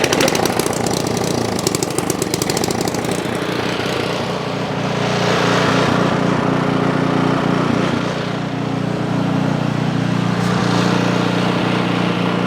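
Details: Ariens Path Pro 208cc four-stroke single-stage snow blower, just key-started with the primer: the small single-cylinder engine catches and settles into a steady, even idle without hunting.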